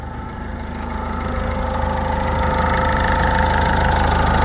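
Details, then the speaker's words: 1.6 HDI diesel restarted after replacing all injector seals. Before, a leak and a badly seized injector caused a whistle. Now it gives a steady, even, slightly clattery idle with no whistle or hiss from the injectors. "et là maintenant il y a pas de problème il y a plus de problème il y a plus ce ce siflement"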